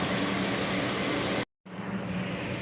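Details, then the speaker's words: 2002 Dodge Neon after replacing the leaking intake tube at the throttle body: steady, even engine note with a brief cutout, then it settles back smooth with no hunting or surging; normal idle after the repair. "let's start it up and see how she does all right guys that's working good"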